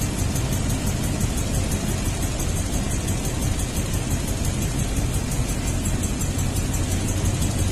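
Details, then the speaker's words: 2002 Toyota Tundra V8 idling with flashing check-engine light, possible exhaust leak: lumpy idle, uneven stumbling beat about three per second; misfire confirmed on cylinder 8, injector ticking normally, checking spark; failed ignition coil, needs coil and tune-up parts. "the problem is definitely number eight cylinder we need to check for spark"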